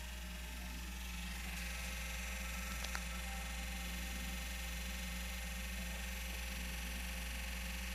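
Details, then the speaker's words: PS4 console that suddenly began making a loud noise the day before, as soon as a game disc is inserted. Steady low hum with thin, constant whirring tones above it and no change in pitch. Abnormal whirring noise; cause unknown. "Na hora que coloca o CD, olha o arrebento que faz, cara. Começou a fazer esse barulho ontem, tá?"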